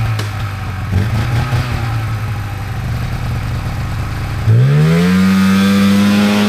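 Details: 1997 Polaris Indy Trail Touring two-stroke snowmobile, resurrected with carbs cleaned and oil pump bled, stock clutching, test ridden on a lawn without snow: buzz idles unevenly, then climbs cleanly to a steady higher pitch as throttle opens; normal running under load.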